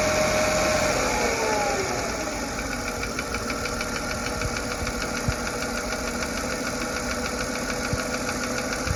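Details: Mercedes M112 petrol V6, 160K miles, idle: light regular tick about three a second from driver's side, loudest near 900 rpm; lifters, plugs, oil changed, compression and oil pressure fine; owner wonders injectors or piston slap.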